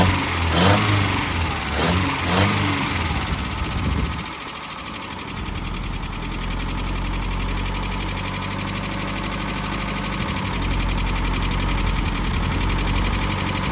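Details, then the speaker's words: 1988 Mazda B2200, carbureted, first start after 13 years abandoned, with the carburetor fitted and ignition reconnected: cranking catches into a steady, loud, raspy exhaust drone at idle. Loud exhaust; the muffler is blamed. "That's the That's the muffler. But, it runs."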